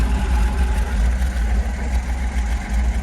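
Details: 1967 Chevy G10 flat-face short-wheelbase (90") project van, rusty and low on power: a steady, even low rumble with no knocks or misses. The engine runs and idles smoothly. Normal idle.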